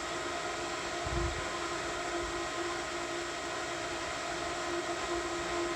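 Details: Variable-speed pool pump priming likely at its top rpm after start, slowing once it finds water. Steady high-speed hum with firm mid-pitched tone, no rattle or scraping; normal priming.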